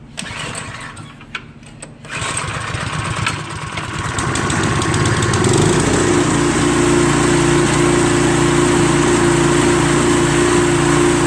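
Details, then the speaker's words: Troy-Bilt snowblower after carburetor replacement, first start with fresh gas before refitting belt cover: catches after a few seconds of cranking, settles into a steady even run with no misses or knocks. Running fine. "Sounds good. Now I'm just going to put the cover back on this."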